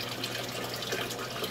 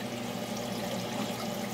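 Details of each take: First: Aquaponics siphon drain on a 100 L system, before a muffler is fitted: steady gushing and splashing water with a loud hiss, no pauses, as the siphon kicks in and dumps into an open tank; noisy but aerates the water. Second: Aquaponics siphon drain fitted with a muffler: a little water rises at the top, then drains down a long tube under the surface, drawing air down as a venturi and releasing bubbles at the bottom; steady soft trickle with fine bubbling, no gurgling surges, normal quiet drain flow.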